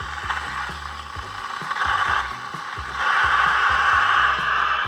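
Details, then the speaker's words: Espresso machine steaming milk, wand still a little cool; rapid uneven chatter of clicks under rising hissing rush, wand sputtering; typically indicates low steam pressure, not over-aeration. "so you hear that noise that's typically an indication that the Seaman doesn't have a ton of pressure"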